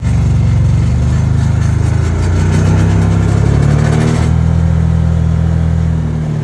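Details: Can-Am Commander UTV before repair: a loose, fast metallic driveline rattle over the engine drone, from a worn driveshaft carrier bearing; fixed by fitting a new carrier bearing plus a heater hose after drilling out the rivets.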